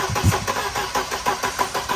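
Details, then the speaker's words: 1992 Mercedes 190E 2.3 being built as an Evo II replica, test start after new distributor cap, rotor, plug wires and plugs: steady starter cranking at about three compression pulses a second with no firing; no spark, from a shattered distributor rotor. "Yeah, it's not firing properly."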